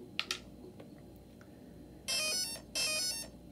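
A couple of faint clicks, then two short bright musical tone bursts, the usual power-on chime from a healthy speed controller.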